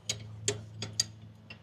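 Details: Diesel truck that has sat a while, cranking with injector lines cracked open: sharp, uneven clicks, about five in under two seconds, over a low steady hum; fuel shutoff solenoid heard pulling in normally.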